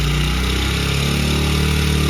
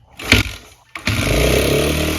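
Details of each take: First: Honda CRF100F kids' dirt bike during restoration, idle turned down and screw tightened: steady single-cylinder putter easing slightly lower, running even and clean; normal idle. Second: Honda CRF100F being restored, cranked on choke with no air filter fitted: fires after a false start and settles into a fast, buzzy idle that stays high. Running better than before, idle set too high.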